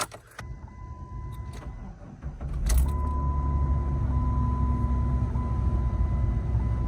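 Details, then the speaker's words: 2004 Jeep Grand Cherokee 4.0 after throttle body sensor swap: catches and settles into a rough low idle with a loose puffing chuff underneath, like a leak at the muffler; power steering pump also sounds bad. Exhaust leak. "on well only thing I can do is start it and make sure that everything is right don't mind the uh guaranteed Muffler"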